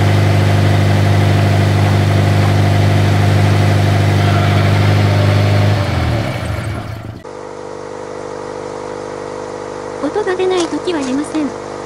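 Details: Toyota 86 / Subaru BRZ, about 7 years old: rough, buzzy キリキリ rattle from the exhaust near the catalyst at startup and when revving; two exhaust mounting bolts had fallen out, leaving the pipe loose; fixed by installing new bolts.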